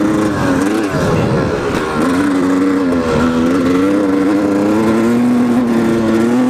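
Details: 1997 Yamaha YZ250 two-stroke with an FMF Fatty pipe, revving and pulling hard in 1st and 2nd gear: wavering tone and rough rasp over the engine, cause unclear; abnormal noise under load.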